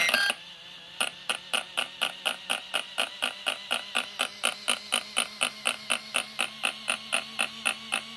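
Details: Arrma Kraton RC truck after installing a new servo: sharp regular clicking about twice a second, while the wheels won't spin and the servo won't move.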